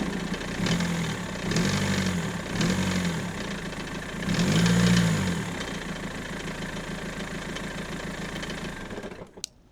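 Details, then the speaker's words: BMW M47 diesel idling: an uneven, pulsing knock-rumble that swells every second or so, seemingly near the steering pump; the owner feared the timing chain, but the cause was a worn crankshaft pulley damper. "I just hope it's not the timing chain. It sounded like in this area near the steering pump, but to be honest, I don't really know. It doesn't sound good for sure."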